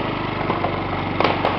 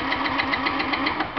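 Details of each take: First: Yamaha C3 49cc fuel-injected scooter, thought to be a 2009 and believed liquid cooled, fired up while hooked to a scan tool after a no-start: a steady, even idle with a couple of light clicks, running smoothly. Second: Fuel-injected Yamaha C3 scooter on a scan tool. A steady cranking chug of about seven beats a second with sharp ticks, but it never catches because injector pulse was lost: crank, no start. Water in the gas tank was eventually found.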